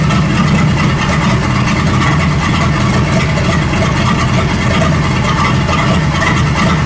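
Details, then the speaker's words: 1937 Buick Roadmaster with a smooth, steady note well above normal idle, not settling; an unused starter solenoid holds the throttle open too far regardless of idle screw setting and gets disconnected. "it doesn't matter where you set that idling screw, this little solenoid thing is holding it open too far. So this is that starter thing that we're not even using."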